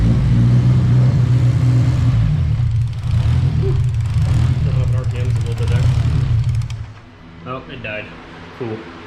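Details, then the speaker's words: 8th gen Civic Si being turbo-tuned, started right after reconnecting the battery for a data log: loud, deep drone for several seconds, then the note sags and it dies. Cause unclear; a new upstream O2 sensor is said to be needed. "not sure why it's dying it's a little bit weird"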